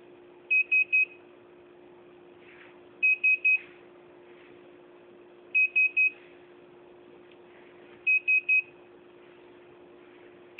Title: Beeping noise, hitec A9